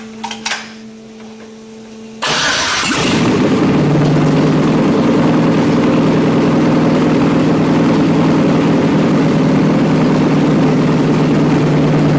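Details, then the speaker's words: BMW E30 with LS1 V8 started. It cranks, catches and idles steadily with a fast, even tick about four per second. Engine ticking, source not yet known. "okay so I got curve for in and put my earmuffs on because things ticking live so and fire it up"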